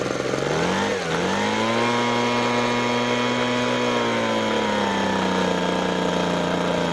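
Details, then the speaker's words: Ryobi RBV26G 26 cc two-stroke leaf blower, ultrasonically cleaned carburettor, plug gap 0.8 mm: full-throttle scream rises in pitch as the high-speed mixture screw is turned, peaks and holds, then eases; best high-speed mixture setting. "So that is about as good as that will ever get. So you could hear the change in tone as it's trying to adjust the mixture."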